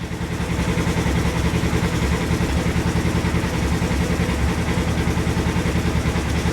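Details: 2022 Polaris RZR Trail S 1000, check engine light still on after reassembly: low, lumpy idle with an uneven pulse about three beats a second that never settles smooth. Cause suspected, not confirmed; fuel pump questioned.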